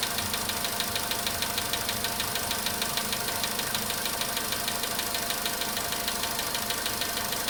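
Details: VW Polo sedan, cold start at idle: sharp, regular tapping of about three per second keeps steady time over the idle. The knock reportedly fades after about 4 minutes 40 seconds, near 55 degrees.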